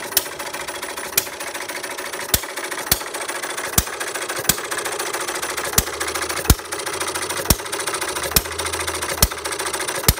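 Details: Perkins vertical air-cooled side-shaft hit-and-miss scale model engine, 9-inch flywheels, mixture set almost straight back from the stop, single intake gulp per fire: sharp, crisp pops about once a second with coasting between; healthy normal governing.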